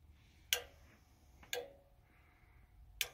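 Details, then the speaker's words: Goodman gas furnace after clearing a clogged inducer port behind a pressure switch 3-blink error: power switched on, three crisp single clicks about a second apart as the control board relays engage normally; solid red light, no error code. "But I flip that down. You hear the clicking of the board right there."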